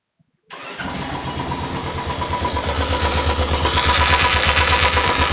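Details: Royal Enfield Classic: fires up and settles into a steady thumping idle around 170 beats a minute with a rattly top end; clutch noise.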